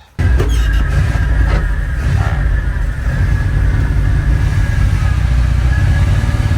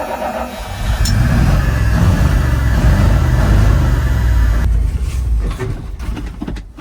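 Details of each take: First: 1980 Dodge Power Wagon W300 1-ton 4x4, carbureted V8, revived after sitting for years, after a short drive: deep, steady rumble with no stumbling or popping, running smoothly. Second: 1980 Dodge Power Wagon W300 1-ton 4x4 truck, engine unknown, sat for years and then a week idle, new battery fitted: deep V8 rumble runs steadily a few seconds then falters and dies; out of fuel, owner suspects heavy consumption or a leak.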